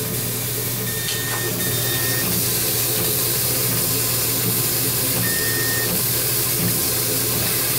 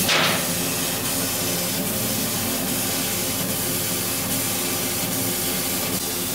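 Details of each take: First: Laser cutter cutting a mockup after warming briefly: short high whistles come and go over a steady hiss; the whine comes from the laser tube with tap water in the chiller. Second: Laser cutter with chiller water warmed to 19 °C after about an hour's work: even airy hiss with faint soft ticks, no squeal or whistle; the laser cuts normally.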